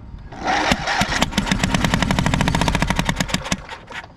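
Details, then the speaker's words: Riding mower, run low on oil and overheated: uneven, lumpy running with irregular pops and chuffs, blowing back out the intake; a stuck valve, firing on one cylinder only. "got exactly the same issue. It's got one of these valves stuck. It's blowing right back out the intake running on one cylinder but not the other."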